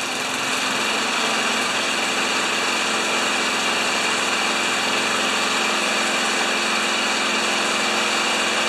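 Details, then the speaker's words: Old Tecumseh engine on a probably 1987 Craftsman Eager 1 mower, stored in a shed 20 years, after homemade repair: steady even buzz at moderate speed, no misses or surging; running normally. "okay folks this is the the old tecumsehood that's out in the shed for 20 years let's see how she goes"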